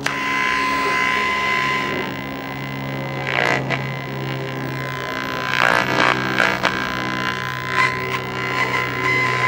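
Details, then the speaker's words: 1956 Zenith 17X20 vacuum-tube black-and-white TV on IF around 40-something MHz, CRT disconnected: steady mains hum with faint program sound; audio section working, vertical and horizontal still out. "And it actually sounds like the audio's working."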